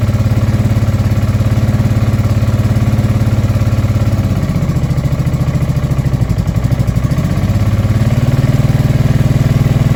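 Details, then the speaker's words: Honda Deauville NT650V5 twin after carburetor strip and new carb head rubbers: fast choke idle about two pulses a second, dipping and recovering, runs unevenly; timing still needs adjusting. "Still got quite a lot of choke, idling very fast."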